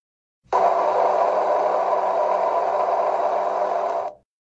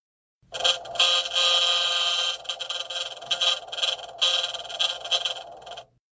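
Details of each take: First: LG Tiiun plant-growing appliance: steady, even whir with no rattle or scrape from the machine-room condenser fan running while the compressor cools to hold internal temperature; normal fan sound. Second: LG Tiiun plant-growing appliance fan; fast irregular rattle with a high whine in bursts, caused by a foreign object on the fan or motor icing, which needs removal or de-icing by service; fan rattle and whine.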